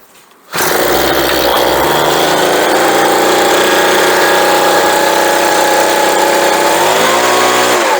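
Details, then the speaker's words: Homelite leaf blower after carburetor and fuel line replacement, choked and primed: it catches and settles into a strong, even, high-pitched two-stroke buzz with a little pop and no stumbling, running clean and healthy. "Wow, that actually works pretty good. And that sounds real nice too. It's got that little pop to it that you get."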